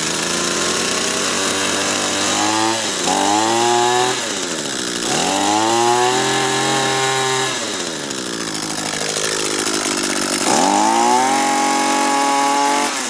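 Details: Banged-up used Echo gas two-stroke string trimmer after repair with a 3D-printed part and a good carburetor salvaged from three: revs up and down with a crisp, raspy buzz, picking up cleanly on each blip. Engine sounds healthy.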